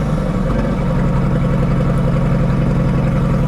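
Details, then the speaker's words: McCulloch that sat all summer without battery care, cold start: very loud, deep, rough drone at fast idle as if the muffler is off; engine believed worn, low compression. "Sounds like the muffler's off though. It's pretty loud."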